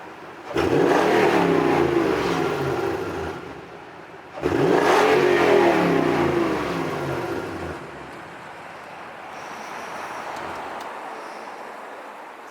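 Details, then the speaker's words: 2007 Toyota Tundra V8 with newly installed dual exhaust, hard acceleration merging up a hill: deep even exhaust rising smoothly with revs then easing off, no rattles or drone; normal, fairly quiet exhaust note. "sounds manly okay so that's it i hope you guys enjoyed the sound clips"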